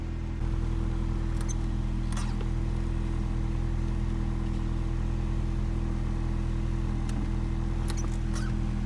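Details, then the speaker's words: DC2 Integra, idling after sitting a few days, clutch master cylinder faulty: clutch pedal sticking and car won't go into gear; short sharp chirps over steady idle hum. Clutch pedal squeak. "I don't know if you guys can see this, but my clutch pedal is getting stuck. And because of this, it's not going into gear."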